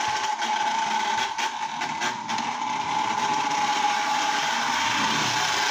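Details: Lionel Tie-Jector toy train car reassembled after brush refit, running again with body on: steady, fairly high electric whine with light quick ticking, likely from the nylon gears; owner thinks the gears can be quieted. Normal running.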